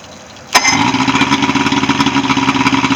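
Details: Evinrude 75 HP outboard on a Voyager pontoon, after no-start repair and routine service: catches on the first crank and settles into an even, steady idle with regular firing pulses; normal idle.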